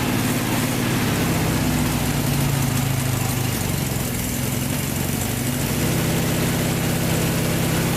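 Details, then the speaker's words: Vintage VW air-cooled flat-four from a 1956 Beetle barn find (not original engine), first run after 23–24 years stored: steady even idle, soft regular low beat, no knocks or rattles; runs smooth. "can't believe it fired right up after 24 years of sitting in a barn these Volkswagen engines are just bulletproof"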